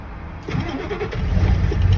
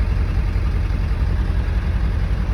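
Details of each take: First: Ford 7.3 Power Stroke diesel truck, manual with clutch, cold start after sitting about 2 weeks in colder weather; key cycled about 3 times to heat glow plugs; quiet, then catches with rough low rumble settling toward idle; hard cold start. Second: Ford 7.3 Power Stroke diesel cold start after sitting about two weeks in cold weather, glow plugs heated by cycling the key about three times: steady, even deep idle with light clatter; normal cold idle.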